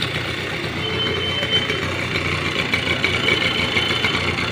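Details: 30-year-old TVS Scooty ES scooter after fixing its starting problem by refitting the spark plug; self-starter and battery are bad, started with the key on. Engine ticks over at a steady, light, even patter with no misses or stalls; healthy idle.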